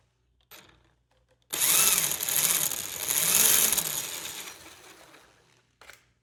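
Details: Traxxas Rustler VXL 2WD after transmission cleaning and move to new transmission casing; rough gritty whir rising and falling with each throttle burst, like gears slipping regardless of pinion gear mesh; gear grinding noise.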